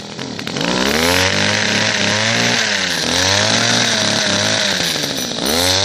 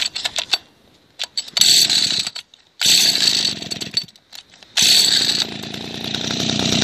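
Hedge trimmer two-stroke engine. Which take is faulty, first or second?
second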